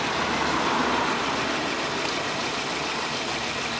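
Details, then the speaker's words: 1997 Nissan Almera/Pulsar N15 GA14DE with about 162k km, first start after about 9 years sitting. The idle stumbles with an uneven, lumpy beat, apparently on three cylinders. The plugs were later found fouled and needed cleaning; after cleaning it ran on four. "So after I checked the spark plugs the next day, I noticed that they needed a little cleaning."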